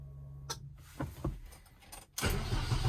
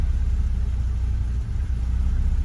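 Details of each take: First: Car with a rewired aftermarket EFI, first start in months, in neutral with handbrake on, tune not dialed in: a few clicks, catches at two seconds and settles into a loud, slightly uneven idle; rough idle. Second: Car with a rewired aftermarket EFI (previously carbureted), after further tuning, spark advance reduced from about 20: low, even idle rumble with a steady beat, no misses or surging; stable normal idle.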